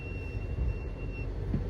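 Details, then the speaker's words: Chrysler 300 Scat swap, rolling slowly: a thin, steady high-pitched brake squeal over low rumble, before the repair with the part believed to cause it. "That squealing, that big break noise, man. We got to take care of that."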